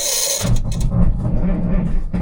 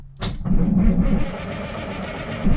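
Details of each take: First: 1978 Kenworth K100 cabover diesel truck, sat for many years, first start: cold engine catches after cranking and idles lumpy and uneven, little smoky, not firing on all six cylinders; 60 PSI oil pressure. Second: 1978 Kenworth K100 cabover diesel truck, sat for many years, fresh fuel added, cranking on three good batteries: strong, steady starter churn about four turns a second with no slowing or dragging; healthy normal cranking.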